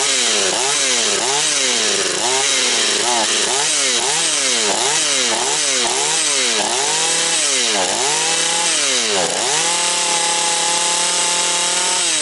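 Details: Husqvarna 240 chainsaw after rebuild, still breaking in, idle to be raised: two-stroke blips up and down crisply, then holds a clean steady scream at full throttle; smoking slightly afterwards; healthy and well tuned.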